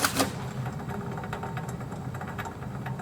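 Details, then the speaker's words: Car raised on jack stands, rear wheel spun by hand, heard close up and from underneath; gritty rapid clicking rumble from a worn wheel bearing. "so in our case it's pretty straightforward and we can tell without a doubt that our wheel bearing is making noise,"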